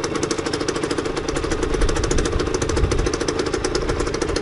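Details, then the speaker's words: Beta 50 RR two-stroke after repair that replaced dead bearings, started easily: rapid, crisp, steady idle with no rumble or grinding from the bottom end, and the earlier bearing noise has disappeared; healthy. "mais voilà elle démarra super bien essayé ya neuf ans démarre superbe"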